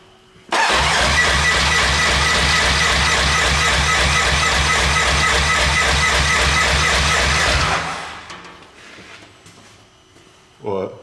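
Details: RS1 race car being rebuilt, first start in five months after fuel drained (tank empty); steady rhythmic cranking about two turns a second with no firing while fuel cycles through; fuel pump later found with loose wires; cranks, no start.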